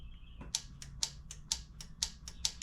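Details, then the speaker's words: Husqvarna TYH18542 riding mower, Briggs & Stratton 18.5 hp Intek: sharp solenoid clicks in loud-soft pairs as the key is cycled, engine not cranking. "yep I can hear it clicking clicky clicky"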